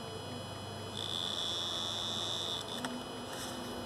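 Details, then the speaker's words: Bosch suction control valve on high-pressure diesel pump, 2010 Volvo V50 1.6 diesel (DLD-416), fault P0089, freed after sticking, harness plugged, ignition position two: faint thin high-pitched steady buzz; coil energising and vibrating normally. "if you want to check that the coil is active on the suction valve what you can do is plug in the harness turn the ignition to to number two and you'll feel it vibrating"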